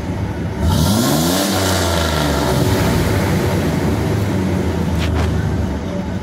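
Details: GMC Jimmy (same as Blazer/S-10) with 4.3 Vortec V6, owner reports strong vibration, high fuel use and fuel smell; throttle snapped toward 3000–4000 rpm gives rough, uneven stumbling revs, a rich misfire from leaking fuel lines; codes P0300, P0401.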